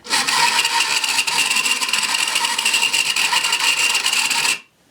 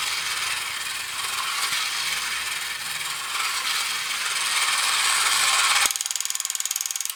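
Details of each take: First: 1980s Kamco Saturn robot toy motor run directly from a battery: harsh, raspy grinding with a thin high whine for about four seconds; the motor itself is rough, gear already lubricated with WD-40 so not the gear. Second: Kamco Saturn/Iron Man toy robot from the early 1980s, run on battery: steady light whirring, then crisp ratchet clicks at about four per second as the mode gear moves from the display-turning gear back to the leg-driving gear; normal gearbox operation.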